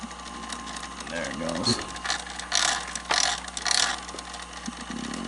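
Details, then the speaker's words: Sanyo VCR 4000 Betamax top loader: shrill squeaky chirps in bursts about every half second from the tape transport; dried-out drive belt slipping and losing torque, needs belt replacement. "oh I can see what's going on the belt's slipping yeah see the belt the belt's flipping so that's why a belt is completely slipping"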